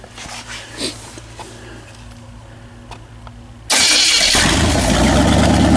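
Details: Pontiac 400 second break-in on a homemade engine run stand, after flat tappet camshaft lobe failure on first attempt: fires at once after a quiet stretch and settles into a loud, even, steady idle; running healthy, only valve cover leaks noted.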